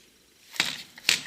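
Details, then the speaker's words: Maxx RC truck dropped onto its wheels: two sharp hard clacks as the front shocks bottom out at full compression. The owner plans to limit shock travel. Suspension bottoming out. "entendez ça claque à mort devant pareille agitation de ravoir donc voilà et je suis quasiment amortisseurs écrasé au maximum"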